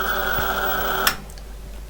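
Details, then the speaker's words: Hazeltine 2000 smart terminal cooling fan: loud harsh steady drone with high whine on top, far louder than earlier whining, cuts off abruptly; worn fan bearing, to be replaced. "the fan noise coming out of this is many times louder than the whining noise was in fact i'm having to raise my voice"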